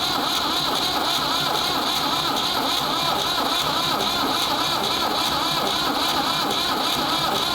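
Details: Ford 3600 diesel tractor with rebuilt CAV injection pump, bleeding injectors: continuous starter whine and steady cranking rhythm with no firing, long cranking on a warm corroded negative battery cable; no-start from seized injection pump plungers.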